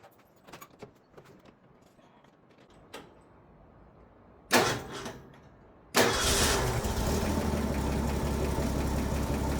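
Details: Ford F-100 that made a funny sound and wouldn't start because of a faulty starter Bendix, after fitting a new starter: a few quiet clicks and a short crank, then it catches near six seconds and settles into a steady, even idle; a normal start.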